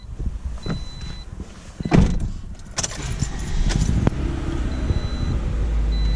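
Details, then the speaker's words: 2018 Toyota RAV4 after throttle body cleaning, fully warm, idling steadily near 1000 rpm out of drive with no stumble. Before the cleaning it idled too low and vibrated at stops; there is no check engine light. "right now the car is nice and hot it's idling good"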